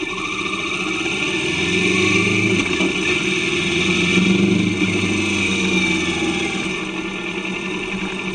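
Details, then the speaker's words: Kawasaki Vulcan S 650 twin after new chain and sprockets, riding: smooth, even drone rising and easing with throttle, no chain slap or rattle; smoother with better acceleration; normal running. "Right, from the off we can clearly hear the engine sounding better."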